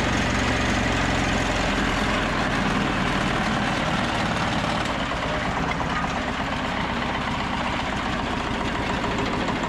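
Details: Old 2-cylinder diesel off a generator, believed Cummins, unrun for 6-8 months, started indoors in the shop: rough steady clatter about three beats a second, deep low thrum; running evenly.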